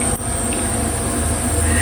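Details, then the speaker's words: Portable air-conditioning unit run in a van, drawing about 30 amps: loud, steady droning hum with a high whine on top, louder than the Max Air fan on full; loud compressor noise, cause not confirmed. "But yeah, you can hear it. I mean, the Max Air fan on full chat's quieter, but it's not."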